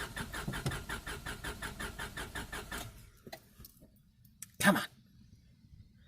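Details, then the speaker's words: 1998 Honda Civic EX, D16Y8 five-speed manual, auction car on fresh gas from a jerry can after priming: even cranking pulses briefly catch, then the engine stalls to silence; starts and dies, fuel pump failure. "this point I know it will run I just have to get it to stay running sit for a bit longer"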